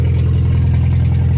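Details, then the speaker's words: Volkswagen with CIS (K-Jetronic) mechanical fuel injection, blown head gasket, old gas and milkshake oil, started after long cranking and replacing two blown fuses, not run for a year: loud, deep, steady even rumble, no misses; running normally. "we just needed to crank it a whole bunch and it eventually started"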